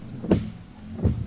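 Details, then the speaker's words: 2022 BMW X3 M40i windshield washer: pump whirs briefly, fading out with no fluid sound after an initial small spray; cause was a pre-pump filter clogged with bacterial buildup inside the washer reservoir; clogged washer pump pre-filter. "You can hear the pump, but that's it. That's all there is."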